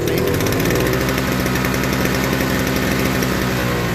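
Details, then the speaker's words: Toro 38602 Snow Commander snow blower, pull-started after new primer bulb, no load, no carb adjustment: steady, even engine drone holding speed with no bogging or misses; carburetor seems clean; normal running. "err so we know that that engine runs just fine the carburetor seems clean because it runs no problem without bogging down"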